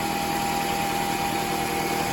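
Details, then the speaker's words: 2004 Toyota RAV4 2.4 L four-cylinder idling after water pump replacement and coolant top-up: steady, even idle with a smooth whir and no rattle or knock; the earlier harmonic rattle from worn water pump bearings is gone. "well no more rattle sounds pretty good huh nice and quiet"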